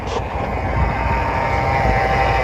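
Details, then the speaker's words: 1999 GMC Sierra pickup, sat 3 years, just started and warm with oil pressure: thin steady alternator whine over idle as it charges a completely dead battery under heavy load. "you hear the alternator crying whining because uh the battery's got like zero charge in it"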